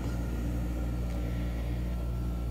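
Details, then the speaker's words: Replacement Webasto FCF Platinum 16k BTU reverse-cycle marine HVAC unit on a Silverton 34 Convertible, fan on low, cooling toward a 65° setpoint: low steady hum with faint even tone, no knocks or rattles; only the compressor is heard, quieter than the old unit. "that's pretty darn quiet you really just hear the compressor at that point so that's nice"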